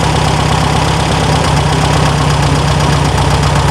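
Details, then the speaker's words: 1974/75 VW Super Beetle air-cooled four-cylinder with a new Pertronix ignition, restarted via bump button after timing work, airbox off: settles into a steady, even, smooth low-beat idle with no misses; running healthy. "all right bumps over fires up sounds good"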